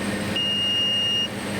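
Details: Aircraft landing at Simikot, Nepal (9,250 ft, high density altitude) at maximum landing weight, 1,050 kg load, flaps down, 85 kt approach: steady high-pitched tone for about a second over the engine in the flare, normal stall warning horn.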